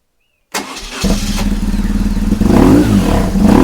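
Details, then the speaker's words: High-mileage BMW R1150GS with a used Facebook Marketplace replacement engine, after rerouting a cable that held a throttle body open: fires after half a second and settles into an even, steady twin-cylinder idle with no misfire; healthy. "there's nothing wrong with the engine the engine sounds good it idles brilliantly"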